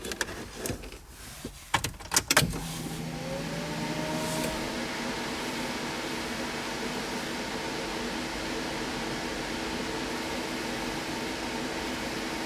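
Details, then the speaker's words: Newly installed boost controller solenoid heard buzzing in the engine bay after wiring; a few clunks then steady low buzz with faint higher tone holding even; normal boost control solenoid buzz. "can hear it buzzing in the engine bay. Perfect. Perfect."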